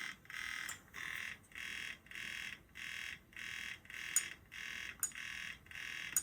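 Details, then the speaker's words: PSP 3000 Monster Hunter model returned by a customer, UMD drive test; harsh buzzing bursts about 1.5 per second as the drive moves, doesn't sound good; owner wonders if the disc is at fault; noisy UMD drive. "I can hear the drive moving, and that doesn't sound good."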